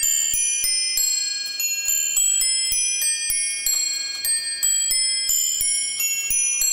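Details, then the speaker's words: New Haven Chime No. 1 clock from the early-to-mid 1890s, chiming on eight nested cup bells, restored after improperly replaced parts: quarter chime resembling the Whittington melody, then three-quarter and hour, clear evenly spaced strikes with steady decay; normal chime and strike. "remember this is before chime clocks had standard chime melodies so here is the quarter that sounds a lot like the Whittington chime melody the 3/4 and the hour"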